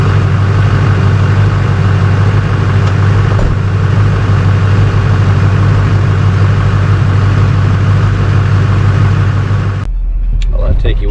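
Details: A diesel holds a deep, steady idle with a smooth even beat and no knocks or rattles before shutting off, sounding healthy.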